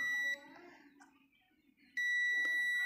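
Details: Tenjima ARC120 welding machine reported totally dead: power switch removed and tested with a digital tester; steady high-pitched continuity beep cuts out then returns as probes touch; switch has continuity and works.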